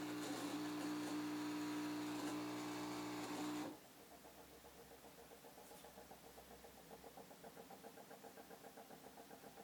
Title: Weird fridge noise